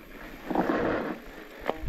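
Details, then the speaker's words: Hope Evo GR4 bike disc brakes with Racing pads, gentle braking: short rough scrape then a sharp clack; rider says pads seem to slip on the disc, something that regularly happens with Racing pads. "Un petit dribble, on sent que les plaquettes elles glissent un peu quand on lèche le frein sur le disque et ça fait ce petit bruit là, clac, clac, enfin je sais pas comment dire, ça, on entend un peu là, ça gratte quoi."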